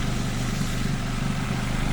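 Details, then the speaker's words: 1991 Nissan Primera P10 1.6 GA16DS with Nikki Hitachi carburettor, after timing chain tensioner, cam sprockets, guides and retiming repair: smooth, steady low idle with no rattle or chain slap; possible small exhaust leak underneath; normal idle. "Vous voyez le bruit du moteur, c'est vraiment, ça n'a rien à voir avec avant."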